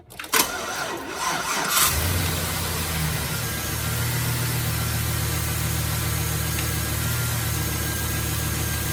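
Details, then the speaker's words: 2007 GMC Sierra after a new tensioner pulley and a new serpentine belt, now properly seated in its grooves: it cranks and settles to a smooth steady idle with no belt squeal or chirp. "All right, no squeaks. So, note to self, buy the expensive belt."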